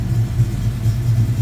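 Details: 1972 Mustang Mach 1 restoration V8 ($1,000 engine): deep steady idle with even beat, no knocks or ticks; lots of oil pressure, quiet; normal idle.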